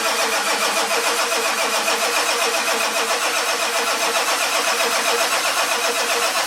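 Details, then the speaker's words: 1946 Ford with diesel engine, glow plugs worked manually on a cold 49° morning: steady starter cranking with even compression pulses about four a second, turbo wheel spinning slightly, never catches; cause unconfirmed. "You see a turbo wheel spinning a little bit. We got nothing."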